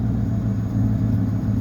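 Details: 1973 Ford LTD, 460 4V big-block V8, low compression, almost 85,000 miles, started in winter after sitting 2–3 months: deep, smooth, steady idle with no stumble or tapping, a normal warm idle.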